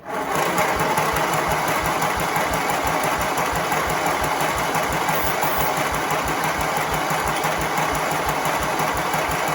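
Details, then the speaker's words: John Deere tractor Briggs V-twin engine, jumper-cable battery setup, spark confirmed on both leads: fast even cranking with steady compression beats that never fire; no-start because too little fuel in tank and key not turned on. "So what it was is I did not have, and I don't have enough fuel in the tank. I didn't have the key turn for it."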